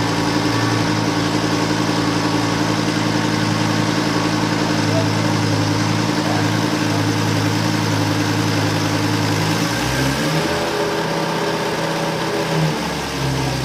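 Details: Burnt-out Lamborghini Gallardo LP520 during restoration, after a battery replacement and a connector wire fix: steady low idle with a hollow, uneven throb; runs rough but slightly better with each start, no more cylinder error codes; owner suspects the throttle body needs calibrating.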